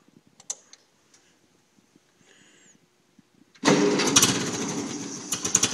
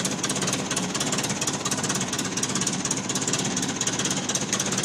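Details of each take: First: 1950 Ferguson TO-20 tractor, cold start after carb rebuild (Marvel Schebler TSX-458) and main jet adjusted a quarter turn: without choke it cranks with uneven sputtering firing that never settles; it won't start cold without the choke. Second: 1950 Ferguson TO-20 tractor after carburetor rebuild (Marvel Schebler TSX-458), main jet adjusted, new plugs and settling bowl, rebuilt generator: steady, even idle knock about two beats per second with clattery top end, no misses; normal idle.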